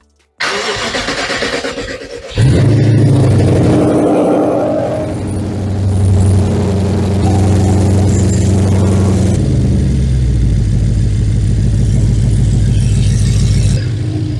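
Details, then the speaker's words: 2011 BMW 550i N63 with JB4 tune, after fuel pump and PCV repairs for misfires and low fuel pressure: cranks, catches, flares, then smooth even idle with no knocks or misses; laggy throttle, doesn't like revving. "Sounds okay. Sounds pretty good. It doesn't like revving, eh?"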